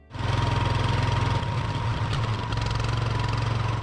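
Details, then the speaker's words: Small snowblower engine, California-jetted, in freezing cold on half choke: uneven pulsing beat that stumbles midway before steadying; cold engine runs rough, needs more fuel and an automatic choke. "Okay, it might not be that easy to fire up this engine jetted for California in the freezing cold. It needs some more fuel and an automatic choke. Hear it running on half choke halfway decently."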